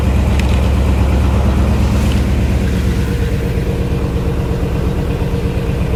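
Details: 1964 Chevy Impala with a crank no-start, after replacing the faulty part: starts, then a loud, steady low rumble with an even beat and no misses or knocks; idling smoothly and healthy.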